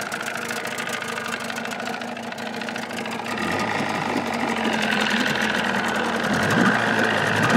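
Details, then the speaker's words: 1979 Evinrude 35hp two-stroke outboard idling with sound-deadening insulation in hood: steady, even, muffled putter, no knocks or rattles; about 80–83 dB beside motor, 76 dB two feet back; normal idle. "runs about 80 to 83 up here next to the motor i pull it back about two feet she's about 76."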